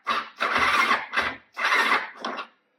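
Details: Quadracer LTR450 with the battery and fuel pump sitting loose on a straight fuel line: about five short starter bursts in 2.5 seconds, the engine never catching; cranks but won't start, the battery needed recharging, cause unconfirmed.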